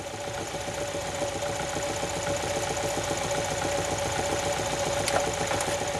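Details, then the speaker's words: Engine idling: steady, evenly paced deep knock at about 220 a minute. Main bearing knock from heavy bearing wear. "if I will get you ten Joe it's a main bearing there's a lot of wear it makes that kind of noise"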